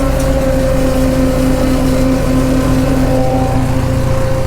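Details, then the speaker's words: Farmall H tractor driving on cold, thick transmission oil: steady mid-pitched howl over the engine, gear whine from the transmission, said to howl much worse when warm in summer; due to be fixed. "it's coming through and that's on cold thick oil when this thing gets warm in the summertime it howls like crazy so that's one of the things we're about to fix"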